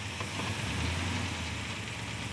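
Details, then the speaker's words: 1940 Chevrolet Coupe gasser, off road about 40 years, idling in park, bottom end sounding fine; low steady idle with light metallic rattle, possibly from the cable torque strap around the motor mount as the motor shakes. "It is. There's a torque strap, which is just simply a about 38 around cable wrapped around the motor mount."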